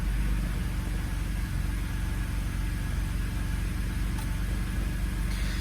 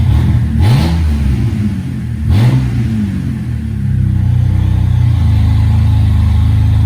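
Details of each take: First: 2007 BMW E86 Z4 3.0si Coupé with newly installed Scorpion Red Power exhaust, first start before warm-up; deep even burble at idle, steady low pulses, no ticks or rattles, engine heard over exhaust; normal idle. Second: 2007 BMW E86 Z4 3.0si Coupé with stock exhaust removed, straight off headers and cats, in neutral; deep booming idle swelling into loud throaty revs, tractor-like at low rpm; exhaust without mufflers.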